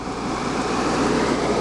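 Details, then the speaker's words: Air conditioner switched to local mode, compressor running: steady loud whooshing rush, no knocks or rattles; quieter than before but still loud. "uh let's cut it off and then go to local and the compressor is over here i see it i mean yeah on local it's not that loud but it's still loud"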